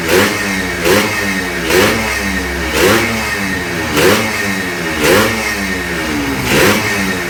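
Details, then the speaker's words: Newly started, not yet run-in Yamaha RXZ 135 six-speed two-stroke, throttle kept light so it won't seize: crisp blips about one a second, rising and falling cleanly, no rattle or misfire; healthy fresh rebuild. "Arkadaşlar daha açılmadığı için cihanımız çok gaz vermek istemiyor yeni çalıştırdı Çünkü yeni çalıştır sıkışır motor"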